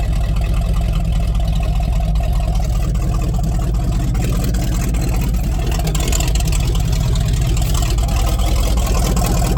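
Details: Rotted Chevy Squarebody truck with a 454 big-block V8 with the fuel pump switched on and jumper cables: deep, steady, even rumble with no knocks or misses. It sounds good, though a hydraulic fluid drip is increasing; normal running.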